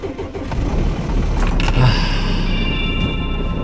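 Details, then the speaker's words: Diesel camper van in Alaska in extreme Arctic cold: after a few seconds of glow plugs, starter cranks briefly, engine catches and settles into steady low clatter; clean normal cold start, music faintly over it. "It's a good sound."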